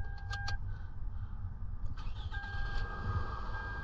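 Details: 2007 Toyota Camry four-cylinder with a flashing check engine light from a misfire, after new spark plug wires and a coil pack swapped in from another Toyota. Keys and clicks, then a steady low idle without obvious stumbling; normal idle.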